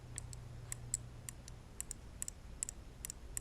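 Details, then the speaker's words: 2014 Buick Encore with P0300/P0303 misfire, injector bench-tested by tapping jumper wires to a small battery: sharp, crisp, consistent clicks each time it is energized, indicating the injector is likely good. "okay if you hear a clicking sound like this that mean 80% the injector is good"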